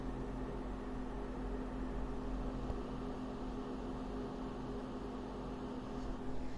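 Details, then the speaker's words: AMD RX 7600 graphics card under GPU stress test, side panel on, hot spot 96-97 °C at 181 W, room 29 °C: steady airy whir over a low hum, no rattle or ticking; fans at high speed but healthy. "definitely they spin a bit higher probably if you have a three fan design it's gonna be quieter"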